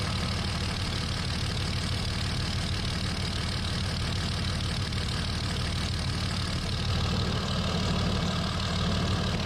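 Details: 2003 Dodge Ram with 5.9 Cummins diesel idling right after HY35W turbo replacement: steady, even diesel clatter with constant low rumble, no miss or odd noise; engine running healthy.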